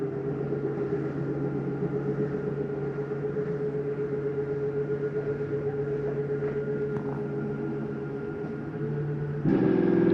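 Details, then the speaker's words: 2022 Jayco Eagle 335RDOK, slide 3 run out from the control panel: steady motor drone for ten seconds, then a louder strained hum at the end stop; slide reaching full extension, release the button. "Usually when you hear that noise, that's the slide mechanism saying I'm out all the way. Go ahead and let go."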